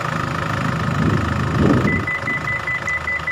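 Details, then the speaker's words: Isuzu MU-X diesel after fan belt and tensioner bearing replacement: smooth, steady idle, belt chirp/squeal gone, engine sound back to normal. "Oke ini mobilnya sudah hidup Ya sudah enggak bunyi Cit Cit Cuit lagi sudah halus Ya sudah reda suaranya sudah kembali normal nih suaranya sudah kembali normal"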